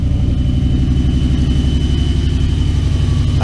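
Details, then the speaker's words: 2001 Toyota Tundra 4.7L cold start at -12°, fast idle around 1500 rpm: loud rapid puffing pulses with a chuffing rasp, belts audible, hard start. Exhaust leak not yet fixed; owner needs a new exhaust. "i gotta hold my exhaust i haven't fixed yet gotta get a new exhaust"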